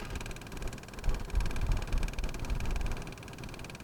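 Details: Added electric fuel lift pump with extra fine filter on a Nissan Pathfinder diesel, ignition on, engine off: fast, thin buzz as it primes and pushes air out of the system; normal.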